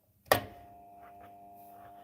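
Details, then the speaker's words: Pump motor that stopped during use, switched on and off: click, then faint steady electrical hum with no spin-up; pump and motor turn freely by hand, capacitor thought unlikely, owner suspects burnt-out winding. "you hear that i'm turning it on and off now so it's trying but i think it must have a burnt out winding in it that's my thoughts"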